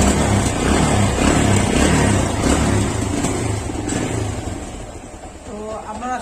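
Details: Small single-cylinder Phoenix motorcycle engine after repair of its bad engine noise: steady, even beat near 3.5 per second, no knocking left; engine now sounds healthy.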